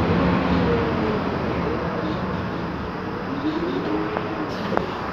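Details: 2009 MAN Lion's Classic CNG city bus, MAN E2876 LUH03 EEV engine, ZF Ecomat 6HP504C 6-speed automatic, driving: wavering mid-pitched whine rising and falling with road speed; noisy differential.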